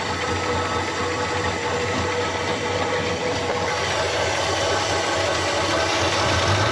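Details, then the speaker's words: Cheap Chrysler CM Valiant sedan on its first start attempt, fed fuel from a drum: coarse, uneven idle with a clattery, tractor-like rattle. Rough running, cause unconfirmed; owner also hears a whirring. "yeah okay see that thank you sounds like a bit of an old tractor at the moment"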